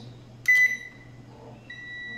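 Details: Small Electrolux microwave oven being tested for its power relay on the board: a steady high beep as the oven switches on; the power relay closes and makes contact properly.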